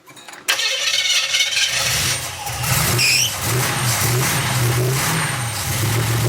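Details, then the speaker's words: 350 SS truck at first start, after a large vacuum leak at the unhooked brake booster was temporarily patched: cranks, catches, then settles into an uneven, lumpy run that rises and sags; owner suspects tight valves and plans to check valve adjustment. "I don't know, it don't sound too impressive. Sounds like the valves are tight or something."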